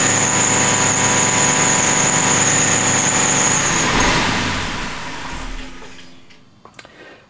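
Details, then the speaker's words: Aston Martin V8 Vantage at idle, before fitting modified pulley and new belt: piercing steady high-pitched squeal from front of engine for about four seconds, fading as engine shuts down. Cause suspected, not confirmed. "Okay, well, hopefully you could hear that clearly enough. It's like a high-pitched squeal that's"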